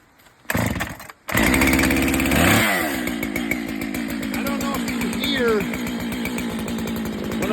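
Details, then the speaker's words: Husqvarna chainsaw, chain deliberately overtightened for demonstration: full-throttle scream that drops to idle almost instantly off throttle with a faint high ring or singing; overtightened chain dragging on the bar. "I'm going to overtighten it in hopes of showing you what a two tight chain sounds like"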